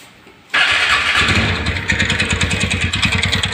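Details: Ntorq scooter starting and idling: the engine catches and settles into a fast, fairly even light tak-tak ticking about three per second over the idle. The source of the ticking noise is not identified.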